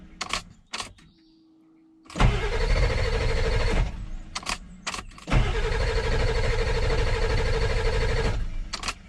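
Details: 2000 Ford F450 diesel dump truck, non-runner, after a part change and restoring high-pressure oil: two long cranking runs with steady starter whine that never catch; air getting into the fuel bowl prevents starting.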